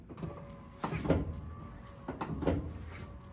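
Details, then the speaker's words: Classic Chevrolet Nova with Detroit Speed inner wiper motor assembly, wiper arm splines re-fixed with screw: two dull clunks per sweep with faint motor hum; inner wiper transmission arm hitting top of the air conditioning unit. "now you hear that little clunk clunk the clunk clunk noise is where the inside wiper transmission arm is hitting the top of the air conditioning unit"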